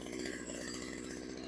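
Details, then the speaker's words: Craftsman chainsaw that sat outside for years, warmed up after a cold start: fast, buzzy two-stroke idle that wavers; the crank seal on one side is leaking a little, causing the inconsistent idle. "cool so the crank seal on this side's leaking a little bit"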